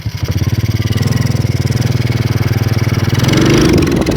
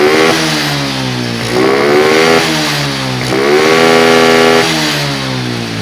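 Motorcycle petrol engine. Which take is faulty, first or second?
first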